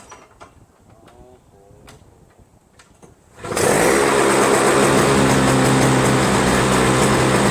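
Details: Toro Snow Commander 7HP R-Tek 24" single-stage power-propel snowblower, previously no spark and no start; after disassembly and a cleaned-up ground wire it has spark again without magneto replacement. It starts, then settles into a steady, even drone with no misses: normal running.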